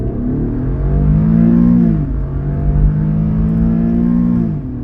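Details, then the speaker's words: Infiniti after valve adjustment and VVEL setup, driving under acceleration before fully warm: smooth even exhaust note rising cleanly with revs, no knocks or misses; healthy engine under acceleration. "Чуєте, як пісня? Вихлоп співає пісню. Уу нормально."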